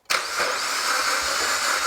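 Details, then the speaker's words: Used eBay engine just installed in a 4x4 build, first start attempt: the starter spins fast and even with no firing. The engine is believed to have no compression (suspected) and won't start. "it just sounds like sugar for me sounds like an engine turning over that's not actually making any compression"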